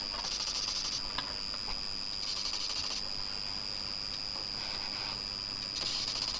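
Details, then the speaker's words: PC hard drive (250 or 320 GB) while booted into Windows and accessing drive properties: thin steady high whine with repeated hissy scratching bursts about every second, cause not confirmed; abnormal hard drive noise. "and this is coming from somewhere near the hard drive so i think this all drops off got a problem yeah certainly making some very strange uh sounds"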